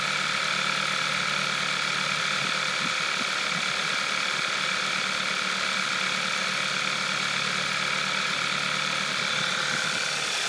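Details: 2012 VW Scirocco 2.0 TSI DSG with 9,800 km, cold idle: a light metallic ticking at about four per second over a bright, busy engine note; owner is unsure whether this is normal.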